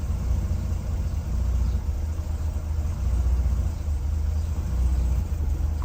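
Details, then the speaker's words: Classic Mercedes W114 with electronic points just started, running a low deep idle with a steady rumble; a misfire remains and the exhaust is leaking slightly. "Starts okay. There is misfire. And the exhaust is blowing a little bit."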